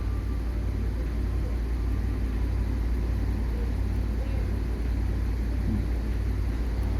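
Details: Audi S6 5.2 V10, 108,000 km, codes P2187/P2189 lean at idle: deep steady idle with slightly uneven loping beat; rough idle, suspected unmetered air at throttle body from stripped threads.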